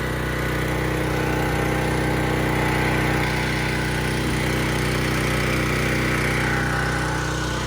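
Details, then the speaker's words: Harbor Freight Predator 3200 PSI 2.8 GPM pressure washer with 223cc (6.8 HP) gas engine, just started: steady, even small-engine drone with light regular putter, no knocks or misses; running normally. "okay just started it up and we're going to give it a run now"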